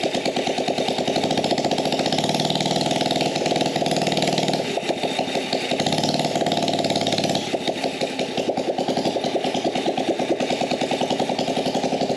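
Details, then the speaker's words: Gas Power Wheels build, no air filter or muffler, started with brake cleaner: loud open-exhaust popping with uneven wavering beat and speed dips; rough running, owner suspects lean mixture. "now this thing isn't running 100 great because it's probably running lean we got no air filter on the carb so nothing restricting the air coming in"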